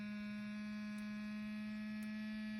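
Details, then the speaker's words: Laptop fan: quiet constant low buzz with a thin edge, no speed change; fan suspected failing, possibly a bearing going. "does sound like a fan yeah hold on yeah that's that's your laptop's fan making that noise"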